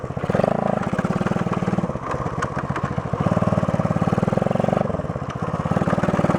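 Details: 1972 Honda SL125 single with new battery, cold start on handlebar choke: small single thumps along with a quick, even beat that rises and settles; starts well, normal idle after cold start.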